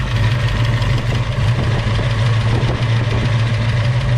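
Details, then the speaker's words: Freshly installed 306 V8 in a Fox Body Mustang convertible, first start, oil pressure about 60: steady idle with faint light ticking that seems to quiet down, suspected sticking lifter pumping back up. "sounds like it's getting quieter if it's a lift or it could be pumping back up we got some bugs to work out"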